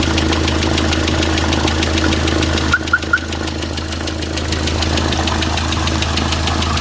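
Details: D4CB diesel knocking after running-in: sharp, even ticking at about three knocks a second rides over the idle, pointing to a deep internal engine knock; cause suspected, not confirmed.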